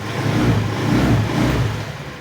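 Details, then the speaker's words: Honda Beat FI eSP scooter after repairing dead starter/no-ignition wiring fault: now starts on electric starter; short smooth rev rising and settling evenly, no misfire or rattle; runs normally. "Oke teman-teman motor sudah menyala ya motor sudah bisa dihidupkan kembali menggunakan starter"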